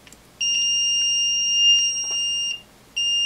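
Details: Multimeter continuity test of the reed switch on a DAB Jet 82M GPS water pump controller board: a clean high beep holds about two seconds, cuts out, then returns as the reed switch closes.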